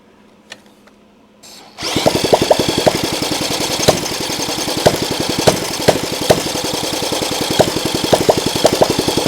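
Fast even whirring crank at about two turns a second with sharp ticks, but it never catches; turns over without firing.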